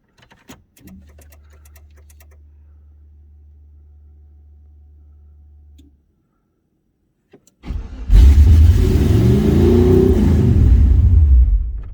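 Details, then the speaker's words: Engine started after TPS auto-set catches and revs to a loud, climbing idle that won't settle; throttle blade screwed open too far, later turned back to about one. "way too loud all right I gotta figure this out and we'll be back"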